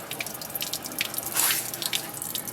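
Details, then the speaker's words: 1965 Chrysler Imperial LeBaron abandoned over 20 years, bone-dry cooling system being filled with water while running on a new Edelbrock carb: steady splashing and dripping as water runs straight out; huge radiator leak at the bottom. "oh man right here's a huge leak damn i saw that tincture in there i figured it had a leak oh it's huge huge shoot"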